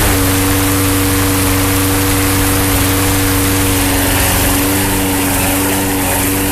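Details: Troy-Bilt TB-210 front-wheel-drive push mower with a swapped Yard Machines engine, started indoors after a transmission drive belt replacement and blade sharpening: a steady single-cylinder drone with an even hum and no knocks or rattles; it runs normally.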